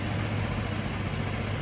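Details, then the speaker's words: Honda Vario carbureted scooter, previously sputtering (brebet), after carburetor refitted with two bolts and vacuum fuel hose reconnected, started and kicked: short steady low putter with no stumbles or misses, idling evenly; declared fixed. "Kalau sudah nyala, kita sambil diengkol ya, Teman-teman. Kita sambil engkol. Sembuh, Teman-teman. Sembuh, ya."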